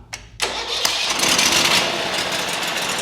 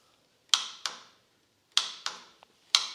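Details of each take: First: Lumbermate 2000 sawmill with Briggs & Stratton Vanguard V-twin: catches after short crank, steady even run, then revs up fully; poor revving was caused by a bent throttle cable, now getting plenty of RPM. Normal running. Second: Sawmill: turning the key gives sharp paired clicks from the starter solenoid with no cranking; the solenoid is bad, clicking but not making good contact.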